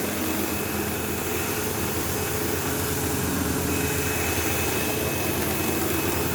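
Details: 15-year-old, heavily used Sebo Automatic X5 upright vacuuming a living room: loud rough buzzing roar over motor whine, occasional belt-slip-like squeal; belt had tension, owner wonders if it needs a belt, brush roll suspected; feels like it could blow up on long use.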